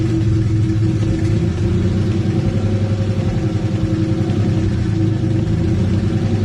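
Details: Engine previously thought to have rod knock, run to locate the noise before replacing the HLAs: warm idle with quick, light top-end ticking over the running sound; seized hydraulic lash adjusters, not rod knock.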